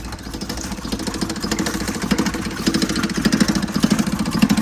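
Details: 1977 Toyota motorhome started after sitting for months and possibly flooded. Uneven idle with a loose metallic rattle on each beat, about 100 per minute, from the air cleaner, which is loose because its mounting bolt is missing.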